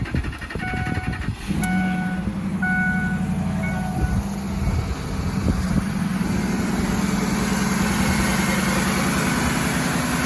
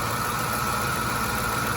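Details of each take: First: 2006 Ford F-150 engine idling smoothly with an even low hum, no grinding or whine, after replacing a dry idler pulley bearing hidden under the air intake with a greased junkyard pulley. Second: 2006 Ford F-150 at idle on a cold day: a steady high whine with a dry, gritty grind, first suspected to be the alternator. The cause was the dry, free-spinning bearing of a pulley hidden under the air intake.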